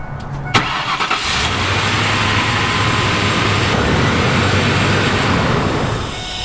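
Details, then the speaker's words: Vehicle on a no-start call: cranks and catches, then settles into a steady run with a faint buzz, the ABS module's normal start-up self-test, likely unrelated to the start fault. "all right that was that sound this oh it's the abs module of course that's what they sound like okay um yeah that was the abs module"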